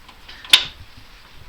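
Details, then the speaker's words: Newly installed differential locker in the 4x4 "Moose", with the wheel rolled by hand: a single sharp metallic click as the locker slips. It slips occasionally in reverse but not forward, yet locks both ways; cause unknown. "you can get it to slip. There, I can hear it slip occasionally. There, I can get it to slip in reverse, but not in forward."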